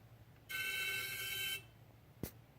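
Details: 2013 BMW 535i M-Sport, 26,400 miles, parked with engine off 20–30 minutes: high steady whistle from the engine area, traced to the failing AC compressor; noise gone after compressor replacement.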